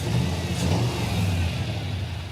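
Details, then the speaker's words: V8 revs with an uneven, stumbling beat, at least one dead cylinder on one bank, running on six cylinders; plug wires measured fine, dead plugs suspected. "yeah the engine doesn't run right it's running on six cylinders"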